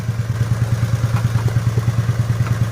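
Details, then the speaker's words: Nissan Almera/March, three-cylinder, with a check-engine light on, before coil replacement: a low, lumpy, shaking idle with uneven thudding pulses, unlike normal. Ignition coil misfire, with a failing coil suspected. "เดี๋ยวสตาร์ทให้ฟังแค่เสียงเครื่องยนต์มันก็จะสั่นๆหน่อยครับเนี่ยครับเสียงมันจะสะดุดนะครับทุกๆปกติมันจะไม่เสียงแบบนี้นะ"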